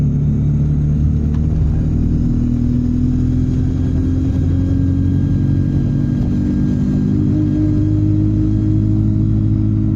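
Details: Stagecoach Yorkshire Enviro 200 bus 36720 under way: a faint, steady high whistle rides over a deep diesel drone, consistent with turbo whine; cause not stated.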